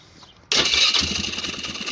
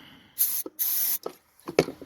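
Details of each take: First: Polaris Sportsman 500 HO ATV with a crank-no-start after re-crimping a loose ignition wire connector: it catches at once and settles into a steady, even idle; starts and runs normally, and it charges the battery. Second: Polaris Sportsman 500 HO ATV, starting fluid sprayed: after clicks, steady cranking about three pulses a second with no firing; loose wire behind the ignition coil causing no spark, crank no start.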